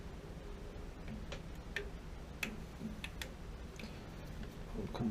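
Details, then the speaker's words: AO Smith Signature Series gas water heater, relight attempt: sharp uneven clicks about every half second over low room hum, no flame; igniter sparks but pilot won't light. Suspected sediment in gas line or blocked pilot tube; voltage issues also noted, not confirmed. "That almost always does it. You shut the gas off to the house and you can't get the water heater relit. Why isn't it coming up though? That should be coming up."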